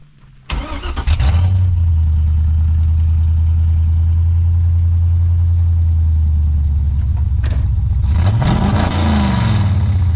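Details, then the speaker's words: Car on test drive: engine catches and settles into a deep, steady burble, then a clean rev rises and falls; smooth, even-running V8, normal running. "you can hear by the sound of it that he is a happy driver right there damn that sound beautiful"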